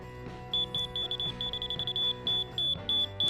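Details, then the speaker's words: Laser level receiver on a rod checking counter height: fast high-pitched beeps about three a second, signaling the rod is below grade (go up). "now it shows that it's that i need to go up so if it's showing that i need to go up that means i have to that this counter is leaning"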